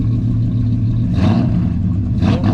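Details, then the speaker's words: 1984 Chevy truck with 454 in place of a 305, Holley carb, sat two years, freshly revived and low on coolant: deep steady V8 rumble, two clean throttle blips, no knocks or misses; normal running (a lifter knock noticed later). "clean up oh sounds good man"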